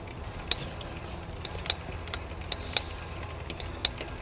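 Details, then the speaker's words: Mountain bike rear wheel on a stand after a crash: sharp, bright tick about once per wheel turn, near one a second, over quiet freewheel; the out-of-true brake rotor strikes a clip at the caliper, fixed by truing the rotor. "you'll see that at certain points the brake rotor is yeah it's just basically it's out of true um and i think it's pushi"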